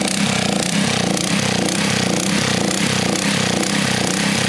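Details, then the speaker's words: Little Wonder edger with a Honda GX120, neglected for years, that runs then stutters and stops. It fires unevenly, smoothing when choked, then too much choke; the problem is judged fuel-related. "yeah it likes that all right see that's too much all right shut it off all right so now we know right so this is more fuel related"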